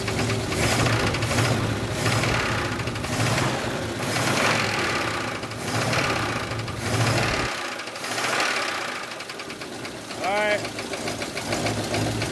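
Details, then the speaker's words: 1980 Oldsmobile Cutlass V8 first started after sitting almost two years: rough running with sharp repetitive tapping knock over idle; owners suspect a rod, unconfirmed; engine knock. "do you think it's a rod it might be let me hear the idol though real quick"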